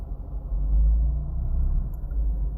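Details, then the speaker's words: 2015 VW Passat 1.8 turbo, 09G transmission, during IS12/IS20 wastegate adjustment, hot engine idling after basic settings: low, even rumble with no knocks, ticks or hiss; normal smooth idle. "Again, engine's running idle right now. Engine's still pretty hot"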